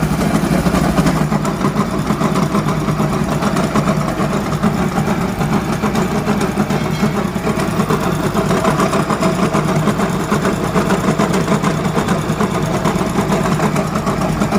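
Single idling with a steady low rumble and a rough, rattly knock under it, about two a second, typical of a worn crank bearing.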